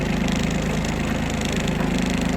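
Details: Kubota Aste A-13 diesel mini tractor with 756 engine hours, driving in reverse after forward gear checks in low and high ranges: steady even engine beat and smooth low drone, no knocks or grinding; drive sounds healthy.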